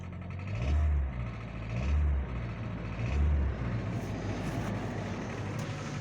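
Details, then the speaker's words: Hyundai i40 2.0 L 4GNA before full overhaul, burning oil, idling: rough low idle with dull, uneven knocking and slow surges about 48 a minute; piston slap. "Мотор расходует масло и стук мотора, стук поршневой группы. Стук поршневой группы у нас будет."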